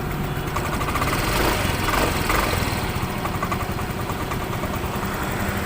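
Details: Yamaha Mio i 125 scooter after a crank/no-start fault was fixed (spark plug gap checked): steady, fast, even putter holding idle with no misses or knocks; running normally.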